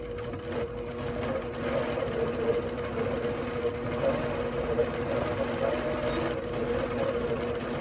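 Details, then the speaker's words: APQS longarm quilting machine with Quilt Glide switched on, overriding the stitch regulator, speed set low. Steady, even needle chatter continues without pauses regardless of movement. Constant needle motion. "So let's push that on. Now listen. What it does is override your stitch regulator. You'll hear it."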